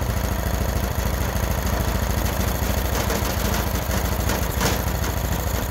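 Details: Freshly rebuilt Honda GX390 13 hp single-cylinder, started by choking manually: steady, even beat at constant speed, no misses or hunting; runs normally, but the vacuum auto choke module is suspected faulty and is to be replaced.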